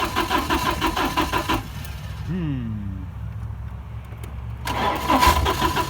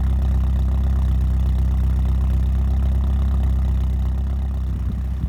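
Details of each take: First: 1987 Porsche 924S after a blown, melted fuel pump fuse was replaced and the pump now runs: even cranking at about three chugs a second that never catches; it runs on starting fluid, so the injectors are suspected not firing. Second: 1987 Porsche 924S after clearing a clogged fuel system, replacing a blown fuel pump fuse and a missed intake gasket: it fires right up into a steady, even low idle pulsing about four beats a second, with no knocks or misses. Normal idle.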